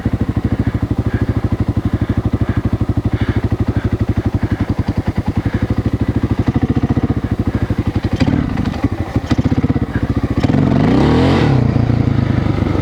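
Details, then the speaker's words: 1996 XR600R single, newly assembled from parts of seven bikes, ridden in second gear doing figure eights: the steady thump stumbles and chokes as the throttle opens, then revs roughly. It is bogging under load during a jetting test, and the owner thinks the jets may need changing. "so that was a test to see about the jetting and it wasn't too hot it choked on it I might have to change some Jets"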